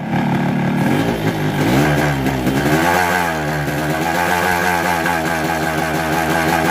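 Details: Just-bought Yamaha RX King two-stroke with a 125Z head; the owner says the block was recently rebored. It revs with a very rough, harsh clattery rattle that worsens with revs. The con rod and block were replaced.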